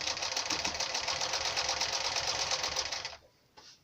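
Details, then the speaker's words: Sewing machine sewing a thick fabric-wrapped piece, after the direction was changed: quick even clatter at about three and a half stitches a second. No motor hum or growl and no pushing needed; the machine runs healthy. "надо мне поменять направление я поменял и ничего не надо подталкивать Все Все нормально Ничего нигде не гудит"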